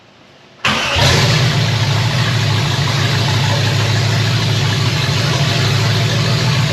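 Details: 1965 Chevy Nova wagon, 327 small-block first fire with an Edelbrock Air-Gap intake and temporary fuel system. Loud, steady, even V8 rumble with no misses or knocks; about 30 psi oil pressure, 180°F water temperature; healthy idle.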